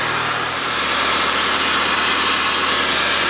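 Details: Rover 220 Coupe T-series (Tomcat) engine at its first start after a head gasket and timing belt change, car still on the jack: a steady, even idle with a smooth hiss, no knocks or misses, running cleanly.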